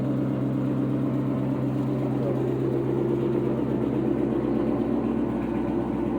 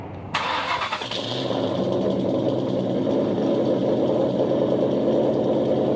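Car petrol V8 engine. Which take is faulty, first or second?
second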